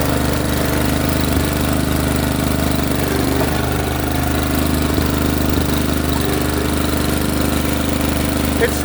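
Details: Honda snowblower engine running steadily while the drive works briefly then stops, with faint uneven clicking about three per second as it drops out; no-drive fault under investigation, cause not confirmed.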